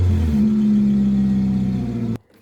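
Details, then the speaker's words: Nissan Altima that wouldn't start, running after fuel pump work and battery fix: engine pulls up to a steady smooth rev with even tone, then cuts off cleanly; runs normally with no misses. "And as you heard, the car runs. Emma's dad done it."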